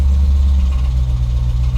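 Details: Hemi V8 idling in Park or Neutral with a faint, irregular low knock under the steady rumble that goes away in Reverse and Drive; it seems to come from the engine but is a broken flex plate.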